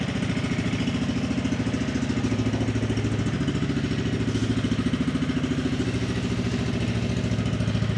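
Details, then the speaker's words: 2004 Polaris 120 ATV, said to have nothing wrong with it, needing a little throttle to start because the safety isn't on; steady low putter at about three and a half beats a second, smooth and even with no misses. Normal idle. "Got to give it a little bit of throttle here. I know why. Safety is not on here. So that thing runs good."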